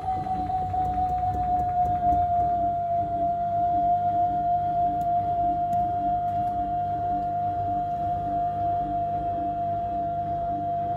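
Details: Device with a burning smell gives a steady, unchanging high whine over a low hum, like a vacuum cleaner; the motor is whining and may be failing, cause unknown.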